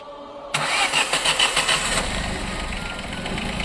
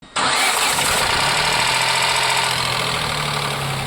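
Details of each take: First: Ford Ka after replacing both worn, scratched belt pulleys to cure a noise at start-up and when hot: quick crank, fires straight away into steady quiet idle with no squeal or rattle; fixed. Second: Ford Ka 1.0 three-cylinder at start: busy idle with a rattle for the first seconds that then stops, noise constant once hot.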